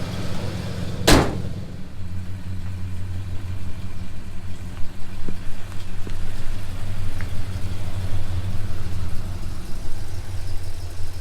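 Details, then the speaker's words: Project car "Sleezy" on the street under load after fine-tuning and a spark plug change: steady low engine drone with no knocks, misses or surging, plus one sharp bang early on; pulling smoothly, much better than before. "now sounds good you can certainly see that under load now it's pulling itself up"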